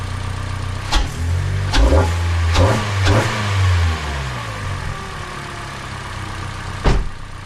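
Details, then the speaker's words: Hyundai Elantra with a cold air intake, just fitted with NGK Laser Iridium spark plugs, recorded on a GoPro: catches, revs briefly, then settles to a steady low idle with no misses. Running smoothly. "So guys, she's purring like a kitten. Now, on GoPros, all engines sounds like crap, okay? They do."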